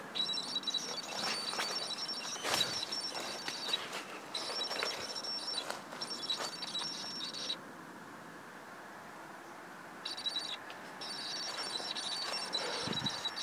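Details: Canon 18-135mm STM lens on Canon 650D with image stabilizer on, in video and photo mode: thin high buzz switching on and off in stretches with scattered clicks; abnormal stabilizer noise.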